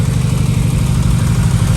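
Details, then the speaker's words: 2015 Subaru WRX turbo at idle after start-up: low, slightly uneven idle with occasional stumble in the exhaust beat and slight engine shake; slight misfire traced to cylinder 3. "This is what happened. Slightly misfire in it. You can hear. Yeah. Okay. Let the hood and see. Yeah. You can see is a slightly misfire and I recheck it is a number three engine is just a shake a little bit."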